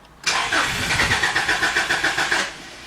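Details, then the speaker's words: 2004 Subaru Legacy Outback wagon, fuel pump fuse pulled to depressurize fuel before in-tank fuel filter change: rapid starter cranking about four pulses a second for two seconds, stops without firing; no fuel pressure. "so that's probably probably good enough it's now the fuel's been depressurized"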